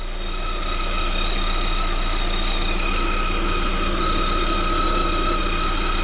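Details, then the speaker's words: 2021 Lada Vesta at about 3,000 km: a steady high whistle under the hood holds over an even idle, growing louder; owner suspects the alternator or a belt idler/tensioner roller, not confirmed. "приветствую вас на канале авто кисть наш ролик свистит все сильнее вот если слышите да"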